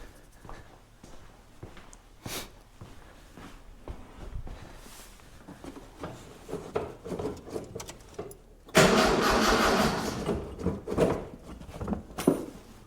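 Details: 1976 Mitsubishi Galant with a 2.6 L Astron, cold 4° shed, fuel squirted into the intake: long, lazy cranking with scattered clicks, then one brief catch that dies. It has spark, fuel pickup from the tank is uncertain, and the battery seems flat.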